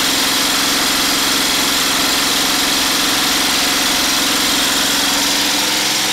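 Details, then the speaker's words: DIY 12V DC gasoline engine-alternator generator with inverter, under 500 W plus 1500 W heater dummy load, about 80 A continuous, not getting too hot: steady, even drone, no surging, knocking or hunting; normal running under full load. "and there we go my inverter generator here is working just fine it outputs around 80 amps continuously it doesn't get too hot doing it"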